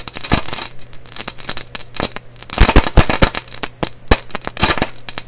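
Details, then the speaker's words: Canadian Marconi Model 93 radio after replacing the #42 tube cathode resistor and bypass capacitor, testing the repaired speaker. Random scratchy crackles and pops over a low hum; a junk speaker or a breakdown/short in the radio is suspected. Crackling from speaker. "still going so what that sounds to me like number one is a totally piece of junk speaker I think that's enough of a test right there to tell me the speaker is crap"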